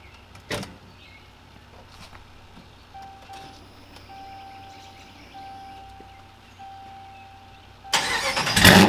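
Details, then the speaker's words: Ram truck V8 starting on a new XS Power lithium battery (1,000 cranking amps), 93°F outside, new Carnage mufflers, heard from outside: starter barely turns before engine fires and roars up within a second; quick normal start, quicker than with the old battery. "i'ma tell you right now that thing started right up a lot quicker than it used to with the old battery i can tell you that for sure not making that up"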